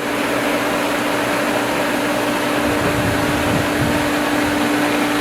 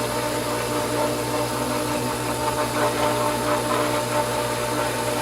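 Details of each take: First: Pool pump at spring opening, restarted after a leaking fitting was tightened; steady electric motor hum with constant tone and rushing water; primed, building pressure, running normally. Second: Pool pump at spring opening priming with air in the suction line, basket drained; steady motor hum with uneven gurgling and sputtering, only a trickle of water entering; a good sign priming is under way.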